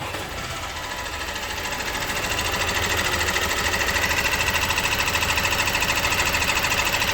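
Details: Opel Astra J 1.6 diesel 136 hp at idle before timing chain replacement: an even diesel idle with a fast, bright metallic clatter of about three ticks a second; chain replacement cured the noise. Timing chain rattle.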